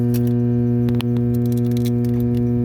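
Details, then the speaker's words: Power transformer fitted with a new acoustic sound barrier, heard with a panel removed near the winding and liquid temperature gauges: loud constant low mains hum with faint rattles, louder inside; barrier working well, transformer normal. "once we go inside, the humming gets quite a bit louder. So it seems to be working quite well actually."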